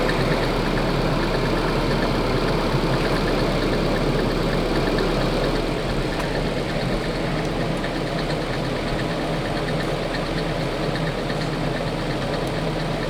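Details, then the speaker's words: Nissan 240SX KA24 engine idling with a loose, uneven metallic rattle, about two to three clatters a second, apparently from the upper timing chain area; still present after removing the upper timing chain guide and fitting a new upper tensioner. "it's a funny joke but this was not a laughing matter the rattle was still very very much there"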